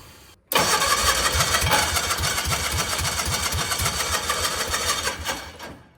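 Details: Mini mail delivery vehicle that sat about 30 years, rust and dirt found in a tube, needs more fuel: catches and runs ragged about five seconds then dies; engine fires briefly then stalls.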